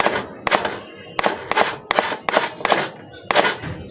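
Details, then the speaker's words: Suzuki Smash motorcycle that won't electric-start. Pressing the button gives only sharp single clicks about two per second with no motor spin: the relay and bendix work but the starter motor is dead. "Tapi kalau enggak ada suara cesen-cesen Cuman cetak cetek cetak cetek itu itu Berarti dinamonya rusak"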